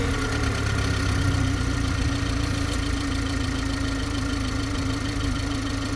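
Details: G20 BMW 330i at steady idle: constant hum with a fast, light, unchanging ticking over it; strange abnormal idle noise, source unclear.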